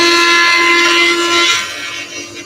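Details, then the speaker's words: Axminster Professional AP310SPT spiral-block planer thicknesser, 230V, running unloaded: smooth, steady high whine from the cutter block with even extraction hiss, then tapering off; machine runs really quietly, healthy. "And hopefully you can hear that this machine is actually running really quietly."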